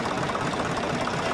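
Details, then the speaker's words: HMT 6522 diesel tractor just started after a full engine rebuild, catching within half a turn: quick, even diesel ticking with a steady mid-pitched chatter and no heavy knock, a clean normal idle, described as a very good sound. "तो हमने tractor को start कर लिया है और हमारा tractor half round में ही काट हो चुका है और इसकी बहुत ही अच्छी आवाज़ है"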